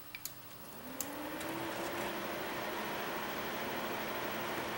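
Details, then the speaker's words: Antec case, rear fan on a 5-year-old computer, just replaced after the old one began grinding. On its three-speed switch the fan steps low, medium, high with a soft, smooth whir and no grinding, running normally. "Now we got the speed control here. You can hear that? That's low. That's medium. That's high."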